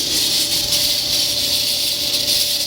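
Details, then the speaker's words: Frigidaire-built Kenmore electric dryer, hot after a heat cycle, belt disconnected and drum not turning, door closed: harsh steady hissing roar with faint hum from the blower fan/motor area, not drum or bearings; quiet on air fluff and once cooled. Cause suspected. "so now the belt is disconnected and we'll go and start this puppy up again and you can hear it go crazy doors closed [Music] drums not turning"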